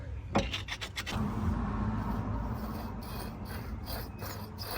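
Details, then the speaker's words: Salvage Ford Transit being repaired for its MOT during a brake disc change: the old wheel bearing, turned by hand, gives an uneven, gritty rasp with no smooth spin and has a lot of play; it is worn and being replaced with a new one. "don't sound too good it's also got a lot of play in it"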